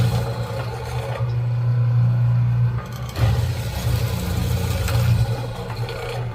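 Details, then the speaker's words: Router running while fitting breadboard edges to a walnut table top, with no wood caught around the spinning bit: steady low, even, smooth hum with no catching or chatter; running quietly and normally. "You can hear how quiet this is."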